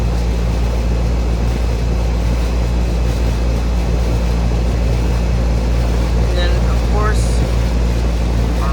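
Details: 2003 Carrier 38CKC 3-ton AC condenser with Bristol reciprocating compressor and 3-blade 18-inch galvanized Revcor fan: steady low compressor hum under loud fan rush, even and unbroken, some wind noise; suction line cold, liquid line hot, running normally.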